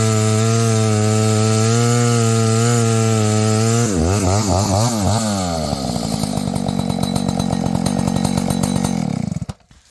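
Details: Husqvarna 285 (85cc) two-stroke chainsaw after a seal replacement and a shortened bar: steady idle, then clean revving that bogs slightly into the cut and recovers; pulls smoothly without stalling, healthy saw.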